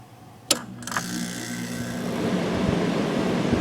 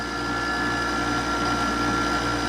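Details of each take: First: Vintage Quiet Master 10,000 BTU window air conditioner made June 1991, rotary compressor: two switch clicks, then smooth even hum with no rattling, vibration or bearing noise; blowing cold, running healthy. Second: Frigidaire window air conditioner running, fan bearings also noisy, still not cooling: steady hum with thin high whine over the compressor, rough and tired; compressor likely failing.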